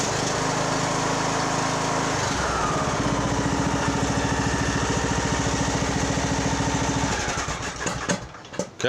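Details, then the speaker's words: Poulan Pro 185A42LT riding mower engine during resale refurb, started on choke with shrouds refitted for cooling: even, steady fast-idle putter, smooth and quiet, no knocks or misses; normal idle. "let's see what happens Fulon choke ready go is pretty good nice and quiet actually"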